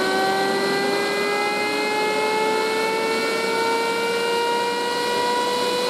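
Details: Chinese 12V 4A turbo fan used as a lab exhaust fan: loud, piercing tone slowly climbing in pitch as it spins up, like an air raid siren winding up.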